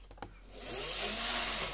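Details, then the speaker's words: Cleaned and oiled Lima Class 55 Deltic model locomotive, no stay-alive, only three front axles powered, running fast. The motor whirs up to an even high-pitched run and fades, no stutter or stall; normal running. "but it hasn't stopped yet. And it'll go slow if I want it to."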